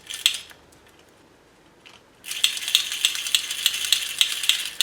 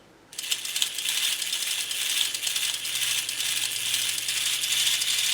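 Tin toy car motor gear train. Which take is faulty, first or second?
first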